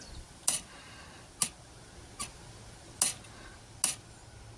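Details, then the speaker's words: Jaguar XKR (X100) throttle body, after taking up the throttle cable slack at the plastic threaded nut: sharp light clicks as the cam snaps fully home onto its idle stop. Normal return to the stop. "going back to the stop that's all the way home I think that should do it happy day"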